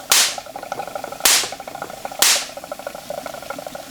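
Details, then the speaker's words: Homebuilt Wimshurst electrostatic machine, one electrode ball thought slightly oversized: three sharp, crisp snaps about a second apart over faint whirring of turning discs; clean, strong sparks jumping the gap, normal spark discharge. "I really do think that ball is slightly oversized. It's working good now though."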